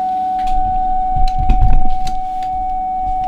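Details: Drake TR7 receiver after VCO non-locking fault fixed by replacing the suspect varicap diode with the original: clean steady mid-pitched tone without drift or warble over faint crackle, possibly from dirty contacts; tuning and playing normally.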